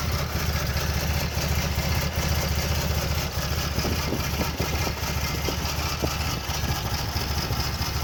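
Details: 1994 Toyota Land Cruiser FJ80 petrol engine at idle: an uneven, lumpy beat with occasional stumbles; a rough idle, cause not pinned down.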